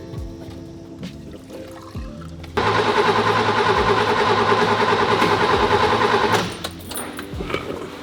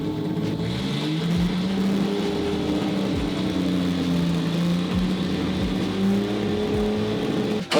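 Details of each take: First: 1966 Mercedes 220S, sitting about 25 years, carburetor fed from a bottle of petrol by an electric pump: steady cranking at about three turns a second with no firing; cranks but won't start. Spark plugs suspected; they sparked, were cleaned, then it started. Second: 1966 Mercedes 220S inline six, laid up 25 years, just started after drying spark plugs and connectors: strong even running, revs gently wandering, no knocks or misses; healthy engine.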